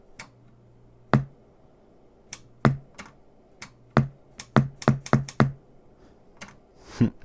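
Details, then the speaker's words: JCPenney vintage 8-track cartridge player, motor running: a dozen sharp clicks, some with a brief low hum, as the eject solenoid pulls in while the button is pressed and held; eject solenoid working normally. "I can hold that button in and it holds that solonoid in do you see"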